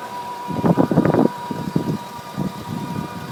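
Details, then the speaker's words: Whining noise at idle on an Acura RSX that otherwise runs and drives well: a steady, fairly high-pitched whine over the idling petrol engine, cause unknown (owner's first guess is the power steering). "Just start it up. It makes a little winding noise. I don't know what it is."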